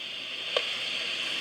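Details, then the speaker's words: 2SB56 germanium PNP transistor in a noise test jig, test amplifier at full gain: soft, even, mostly high-pitched hiss with one brief tick, a little quieter than a 2N217. "and this is a little bit quieter than the 217"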